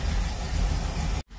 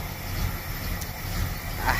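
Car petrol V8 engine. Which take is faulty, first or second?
second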